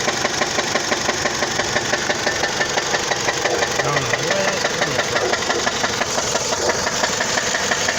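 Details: 2004 Dodge Stratus petrol engine idling with a loud, steady sharp knock repeating about three times a second.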